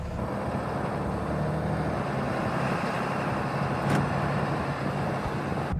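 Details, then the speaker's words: 5th-gen Ram 2500 diesel with 3200+ engine hours, driving just after an EGR clean and tightening loose EGR bolts that caused an exhaust leak and low boost: smooth, even low rumble under road noise, no puffing or ticking; normal running. "It sounds like it runs a bit cleaner right now, but I know it's all in my head."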